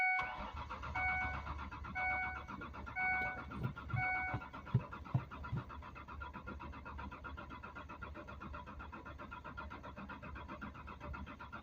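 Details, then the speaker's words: Mazda B4000 that has sat too long, owner suspecting a ground problem: steady starter cranking with no catch, only a few sharp pops now and then, which may be cylinders firing. Crank, no start with occasional popping; cause not confirmed. "every once in a while we're getting a snap, crackle, pop kind of dare. So, either one of the holes are deleting themselves or they're actually firing."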